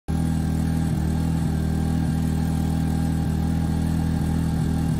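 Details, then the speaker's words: Westinghouse (Honda-copy) generator started with choke on in spring: it runs steady and even for a few seconds, then cuts out abruptly. It starts and dies repeatedly because of a plugged jet in the carb float bowl. "this spring here or when i tried to start it up and it wouldn't stay running it would just start up run for a couple seconds and die"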